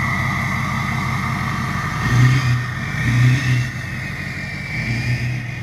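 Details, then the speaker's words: Ford 6.0 Powerstroke diesel idling through a new 4-inch exhaust with 6-inch tip: deep uneven lope about once a second from the failing number one injector on the passenger side, which throws cylinder contribution/balance codes; injector misfire before replacement. "You actually heard the injector missing. You can kind of hear it kind of lope there at idle. That's actually that number one injector missing."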